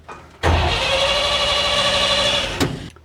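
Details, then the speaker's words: Old Chevy truck after an HEI distributor swap, left sitting almost a week: steady, even cranking for about two seconds with no firing. It cranks but won't start, with still no spark and no oil pressure build-up. "I'm going to say still no spark. It also didn't build oil pressure."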